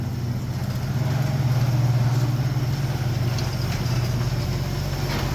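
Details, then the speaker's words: 1973 AMC Gremlin, stored 30 years in a barn, first run: low even burble at steady idle, roughly three and a half beats a second, no knocks or misses, no oil light, no blow-by; engine sounds healthy. "At least has the resemblance of working, and I don't see any oil lights, which the engine sounds good and healthy. It'd be making a ton of noise if it didn't have oil pressure."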